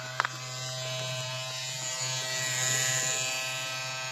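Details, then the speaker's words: MSI Katana GF76 laptop, after thermal paste replacement, powered on: loud steady buzz and harsh rattling drone from the cooling fan vibrating, the reported fault; worn fan bearing. "То, что он так вибрировал, это и была проблема у моего друга."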